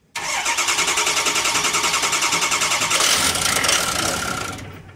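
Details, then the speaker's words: 6.0 Ford diesel, no-start diagnosed as the injection control pressure regulator, cranked to test the fix; ICP needs about 800–1000 psi to start. Rapid even cranking, about three and a half beats a second, no catch while air is worked out. "okay obviously gotta work some air out of it but we'll give it a go"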